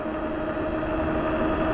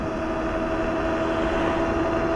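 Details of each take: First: Globalkeep MA-S electric motorcycle (4000W peak motor, 250Nm) with very aggressive knobby fat tires, riding near 30 mph during a top-speed run into a slight headwind: steady droning tire hum that grows louder as speed rises. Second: Globalkeep MA-S electric motorcycle (4000W peak) on aggressive knobby fat tires near a 30–35 top speed into a slight headwind. Steady droning tire hum that rises with speed; normal.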